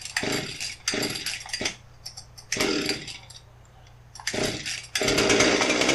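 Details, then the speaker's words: Husqvarna 257 chainsaw, customer's non-starter, first start after fuel line and trigger repair: harsh two-stroke buzz bursting in and out, dropping back only partway between, running pretty fast at idle; high idle speed, cause not yet found. "so so at first i was kind of nervous there it was running pretty fast at idle"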